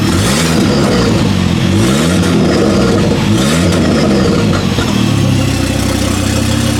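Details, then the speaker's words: Ford Focus ST/XR5 Turbo with throttle blips: rough puffing exhaust rasp from the front engine bay, not the tailpipe; the exhaust has come off at the turbo, missing bolts, so a bolt must be fitted. "yeah so I did have a look at it yesterday so the exhaust actually is coming off on the turbo so I'm going have to put a bolt on"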